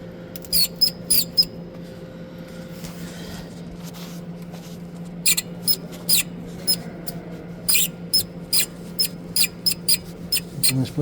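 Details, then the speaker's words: Ford Focus engine bay, belt being refitted after water pump replacement: sharp high chirping squeaks in short bursts as the tensioner arm is worked; idler rollers fine, the tensioner spring mechanism was squeaking; new tensioner to be fitted. "Ну вот сама натягуха, сам механизм, сама пружина вот она и скрипела, видимо,"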